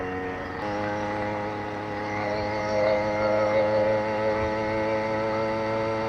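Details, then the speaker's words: Brand-new 80cc two-stroke motorized bicycle, exhaust slightly raised, on test ride: steady buzzy drone with slightly uneven burbling beat; four-stroking, running a little fat, deliberately rich for break-in; clutch also needs adjusting. "definitely four stroking so it's a little fat but you know brand new motor I don't want to I don't want to run it lean"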